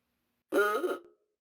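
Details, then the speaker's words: 1930 Ford Model A ahooga horn: a single short, thin duck-like quack with no ooga swoop, caused by a worn diaphragm nub not striking properly; horn then disassembled for repair. "okay it kind of sounds like a duck to me"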